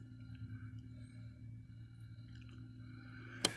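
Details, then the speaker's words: 2011 Winnebago View Navion RV waste pump switched on from the panel switch: quiet, steady low motor hum at constant pitch, ending in a sharp click; waste pump running normally. "This pump turns on the waste pump, okay? And it actually doesn't turn on pushing it this way. It turns on pushing it this way."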